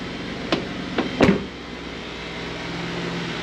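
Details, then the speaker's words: 2012 Ford F150 after vacuum pump replacement, heard near the pump behind driver's side wheel well: handling clunks then faint steady low hum, no buzzing or rattle; pump runs quietly, fixed. "That's about all you should hear when that's running. So, all fixed."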